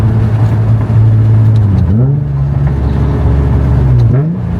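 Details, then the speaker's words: Nissan 350Z exhaust after fixing a Y-pipe leak with an extra-thick gasket at the Tomei cat and test pipes: deep, smooth, refined drone pulling through the gears after about five minutes of driving, with no hissing or rattling. "The Hankko is definitely I'm hearing the Henko now to its full extent or full potential. Very deep, very refined. Just sounds good overall."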